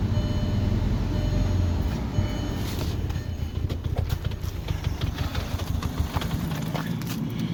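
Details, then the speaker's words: 2006 Audi A3 2.0T with uneven, lumpy idle, deep rumble and irregular stumbling, the engine shaking; scan showed misfires on multiple cylinders, before spark plug and valve cover gasket replacement. "I scanned this yesterday I had misfires on multiple cylinders you can hear it I was misfiring"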